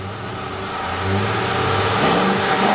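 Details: Ford F150 5.4L 3V Triton V8 revving with a light ticking over the engine note, from ignition misfire; fixed by replacing two or three coil packs and some spark plugs, after which the ticking was gone.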